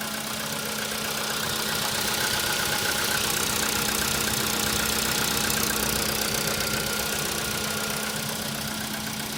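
A steady tapping of about four knocks a second rides over the cold idle; a cold-start knock, cause not yet pinned down.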